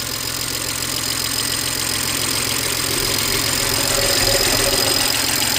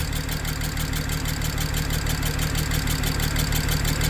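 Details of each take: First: 2007 BMW 335xi twin-turbo inline-six, freshly revived with new aluminium valve cover and spark plugs: fast even light metallic tapping over smooth idle, traced to loud but normal injector ticking, all six firing. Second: 2007 BMW 335xi twin-turbo inline-six AWD revival: low idle with regular uneven stumble about three times a second, lumpy shake, less at higher rpm; running on five cylinders, misfire; owner suspects compression leak, perhaps loose spark plug.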